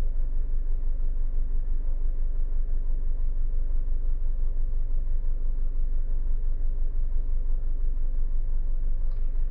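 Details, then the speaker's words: Honda BR-V with a static Jet Ranger turbo ventilator fitted in the intake: smooth, low, even idle at about 650-700 rpm with no ticks or knocks. Normal idle. "Titiknya kurang lebih sama sih RPM-nya, di RPM kurang lebih ini di 650 sampai 700 RPM."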